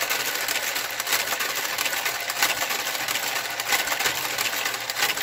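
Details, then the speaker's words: Knitting machine garter carriage knitting a sock: steady mechanical swish with occasional sharp pops from a couple of gate pegs out of alignment. "see you're going to hear some popping noises every now and then with my garter Carriage I have a couple gate fakes that are of [Music] alignment especially at tension three"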